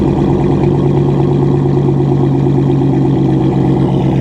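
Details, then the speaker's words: Salvage-auction V8 car at Copart listed as non-runner, with a burnt-titanium-look exhaust: deep even burble, steady firing and clean throttle blips, no knocks or misses; normal revving. "yeah mr savage mad props man mad props because that thing sounds right"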